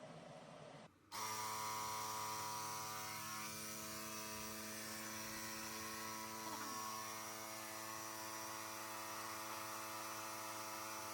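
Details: Compressor winterizing a Panoramic RV, pushing air through the lines while the side shower and hot and cold taps are opened: a sharp switch-on into a steady, buzzy hum with a fast even pulse; normal running.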